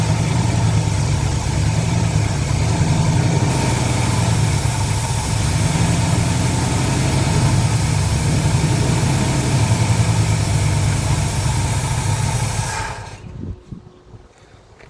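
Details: 1977 Lincoln Mark V 460 V8 running on fuel primed into the carburetor after long abandonment: deep, even idle with steady rumble, no ticks or stumbles, then shuts off cleanly; sounds healthy.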